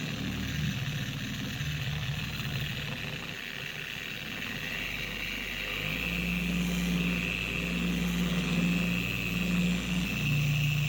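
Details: 4-year-old Carbon Collective DA/random orbital polisher, before repair: high-pitched whirring scream at higher speeds over uneven rocking hum, pad wobbling and walking across the panel. Vibration increased gradually; gear head to be stripped and regreased with red lithium.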